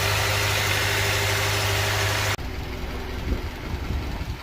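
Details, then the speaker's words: Honda Elysion K24Z4 after replacing all spark plugs, belts, pulley seal and front crankshaft seal: smooth, even idle with steady low hum, no ticking or misfire; normal idle, running well. "Бәрін жинастырып болдық. Тамаша жұмыс жасап тұр."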